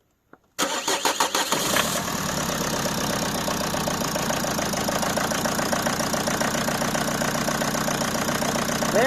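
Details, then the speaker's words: Peugeot 307 2.0 HDi diesel that wouldn't start after sitting a week: after a short crank it catches and settles into a steady idle. Air was entering the fuel system through a gap in a leaking fuel sensor. "but when the car is stationary for a long time, air gets into the system through the gap in the sensor and the car does not start"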